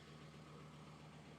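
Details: 1991 Audi 90 20v quattro idling after a new fuel filter was fitted, with no leaks found: quiet, smooth, even idle with a steady low hum and no ticks, misses or hunting. Normal idle.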